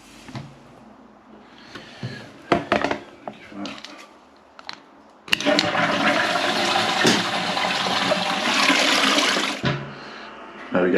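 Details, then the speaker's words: Toilet with a Fluidmaster fill valve fitted with a flow restrictor, on a high water pressure supply. Handling clunks, then a strong, steady rush of water for about four seconds that stops cleanly: flush and refill work, silent. "So with the Fluid Master one, with that flow restrictor in it, silent. So they didn't lie on the box. Ultra quiet."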